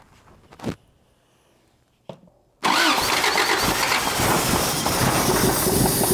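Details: 1985 Toyota pickup abandoned 20+ years in a junkyard, signal generator replaced; started via cheater wire with the throttle cable missing and the accelerator pump doubtful. Two short failed cranks, then it catches and runs loud and slightly uneven: hard start, rough running.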